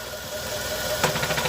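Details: Engine idling, then a sharp knock with light rattling after it when the clutch pedal is pressed or released quickly, gone when worked slowly; excessive crankshaft end play in the bottom end.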